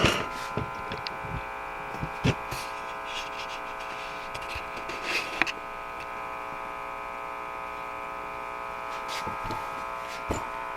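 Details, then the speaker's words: RCA Victor 12X2 tube radio after full recap: a steady low buzzing hum under faint static and tuning crackles, unchanged as the dial moves, despite new electrolytics; troubleshooting pending. "what i don't like so far is that i actually hear a hum in the radio and i replaced all the electrolytic capacitors so that should not be humming like that"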